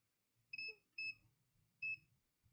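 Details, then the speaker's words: Dead Mobicel tablet, multimeter continuity across battery connector plus and minus: three short shrill beeps, main 5 V power line shorted to ground. "You hear it's beeping. That means we have short to ground. We have short to ground. That's what it means."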